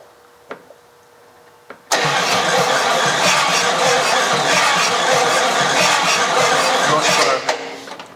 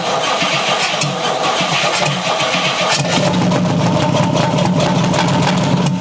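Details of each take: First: 1956 Chrysler Windsor 331 Poly V8, new plugs and wires, no carburetor: starter cranks evenly about five seconds, never fires; no spark, coil suspected not getting power or not grounded. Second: 1956 Chrysler Windsor 331 Poly/Semi-Hemi V8, freed from stuck, run with no carburetor: catches and runs roughly at fast idle, no regular hammering under exhaust note; bottom end sounds sound.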